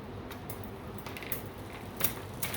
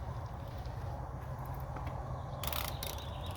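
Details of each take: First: 24-inch seven-speed bike with a newly installed chain, before tuning: irregular light clicks and clunks as the cranks spin and the chain jumps between cogs on its own; ghost shifting because the rear derailleur limit screws are not yet adjusted. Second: 24-inch bike after a new seven-speed chain was installed and shifting tuned, on a test ride: quick, even freewheel ticking while coasting, with the chain running quietly; the drivetrain is healthy.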